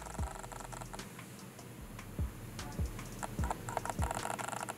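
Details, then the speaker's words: Canon autofocus lens hunting back and forth while tracking the camera during video shooting: short whirring chirps in bursts every half second to second, autofocus motor noise. "okay that's the auto focusing noise on the lens when it's trying to track this camera right here i'm back and forth the lens is turning it's making the auto focus sound and you can hear it"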